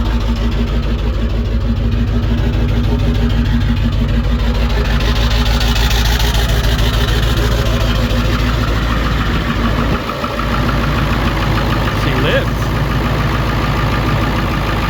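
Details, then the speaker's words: Ford 7.3 Powerstroke diesel just after KC300X turbo install, fuel crossover line opened: loud, slightly uneven lumpy idle around three beats per second as air purges through the injectors; turbo oil still burning off. "I did that crossover line, so there's air in the line. It might take a little bit to clear out of the injectors."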